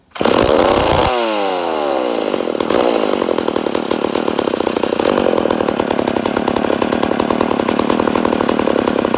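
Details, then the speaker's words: Freshly rebuilt McCulloch Super Pro 80 chainsaw at first start: fast, high-revving two-stroke buzz that stays high and ragged instead of settling. Sounds lean; owner suspects an air leak, not confirmed. "oh a sounds like we got air leak definitely sounds like she got an air leak but she does sound good"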